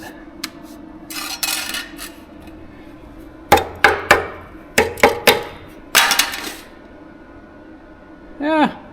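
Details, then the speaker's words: Old rusted-out muffler removed from a Nissan Juke and cut open: shaking it gives irregular sharp metallic clinks and rattles from loose rust and crud jiggling inside. "I don't know what I expected but there's a lot of crud lay in the bottom you can hear jiggling around in"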